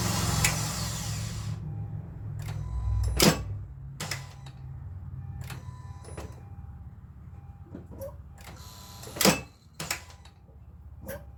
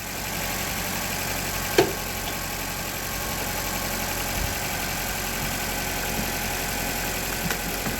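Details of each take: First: Honda Civic, single dull taps on each key turn with no cranking, as if the engine is locked up; a seized AC compressor whose belt shows heat discoloration is stopping the start while draining the battery. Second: Honda Civic after replacing a locked-up AC compressor, started before adding refrigerant: smooth, even idle with a steady hum and one brief click, no knocks or misses; engine runs normally.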